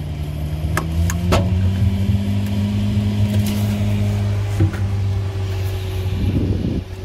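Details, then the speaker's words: Frigidaire/Kenmore refrigerator, fridge warm while freezer cold, after replacing the evaporator blower fan motor: a few clicks at power-up, then a steady low hum as the new fan spins up evenly; normal. "you can hear the fan is uh starting to spin that's a very good sign"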